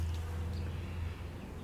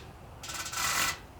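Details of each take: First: 1964 Ford 4000 diesel injector nozzle on a pressure tester: two short sharp spray bursts with a springy chirp, a proper pop at 2700 psi (spec 2750 ±50). This injector only works part of the time; it later stopped. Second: 1964 Ford 4000 diesel tractor (hard to start), injector nozzle on a hand pressure tester: short hissy spray burst with no crisp snap, popping weakly at about 25, below rated pressure; weak injector pop.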